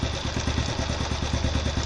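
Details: Motorcycle engine idling on the normal carburettor setting, idle adjusted via the carburettor needle setting and air screw at one and a half turns: quick, even putter about nine or ten beats a second with no stumbling or hunting.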